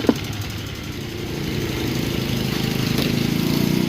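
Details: Motorcycle that ran out of oil and died twice: after starting, a loud, rough mechanical clatter grows as the revs climb, from a piston and cylinder scored by running without oil.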